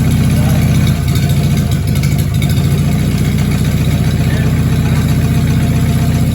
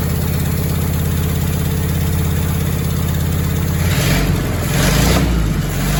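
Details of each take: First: Overhauled Willys flathead, built from used parts, with a new valve and freshly set valves, runs with a steady low beat and small throttle blips and no knock. The oil pan gasket is missing and the shot fuel pump is dumping gas into the oil pan. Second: Willys flathead Jeep engine rebuilt from used parts, first start after new valve and valve adjustment: rough low idle with uneven metallic bottom-end rattle growing busier with revs; spun crank bearings, metal found.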